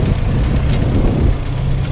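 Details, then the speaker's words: Farmall H four-cylinder tractor, first start after winter on a cold day, warmed up with oil pressure and charging: deep steady even chug after initial rough sputter smoothed out; normal warm idle. "her idle was a little bit uh rough there at first but she smoothed out again now"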